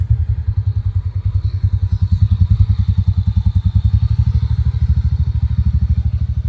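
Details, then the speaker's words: TVS NTORQ scooter after the one-way part was fully replaced to fix a fan noise problem: a steady, even low putter at idle with no rattle, and a smooth exhaust note. Noise much reduced; normal idle. "Noise काफी कम हो गया guys. और एकदम आवाज एकदम smooth आ रही है। आप देख रहे हो? और इसका एग्जॉस्ट भी अच्छा साउंड कर रहा है।"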